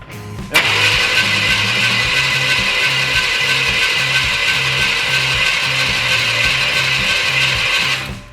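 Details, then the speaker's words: OBS K1500 cranked with spark plugs removed and fuel pump fuse pulled: quick, even starter cranking with no compression beats, belt and fan turning; engine spins freely, healthy cranking. "That sounds like it's turning over fine."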